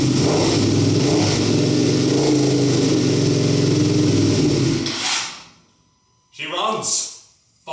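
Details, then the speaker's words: Wrecked Ducati Panigale V2 Bayliss being rebuilt, first start with an eBay ECU/ignition combo, in neutral on the table with a little fuel; loud lumpy V-twin beat running steadily then cutting out, smoke from the rear header suspected to be cleaning products; normal running. "There we go. It sounds awesome."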